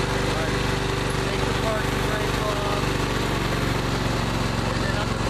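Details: John Deere L120 Automatic riding mower, small twin, warm from recent running: steady, even chug with no misses or knocks; running healthy.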